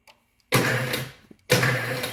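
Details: Weld positioner gearmotor during wiring-complete testing: two separate one-second runs of even motor whir with light gear buzz, starting and stopping cleanly; tilt drive works normally, though table rotation still does not turn.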